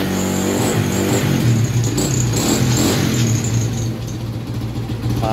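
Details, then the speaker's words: Honda Wave 100 kick-started (no battery) after cleaning a carb left uncleaned for half a year: slightly uneven, stumbling revving with the odd miss; the carb air screw still needs adjusting. "palyado ng konti ia-adjust pa."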